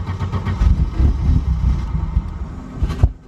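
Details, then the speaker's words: 1991 Audi 90 Quattro with an S2 big-turbo engine and push-button start: uneven low cranking chuffs for about three seconds that never catch; key position apparently leaves the fuel pump unpowered, so no fuel (owner suspects). "sounds like it's not supposed to be doing that yeah so right here I'm just before the point of starting it and where it would sit when I'm leaving it running but there's no fuel pump"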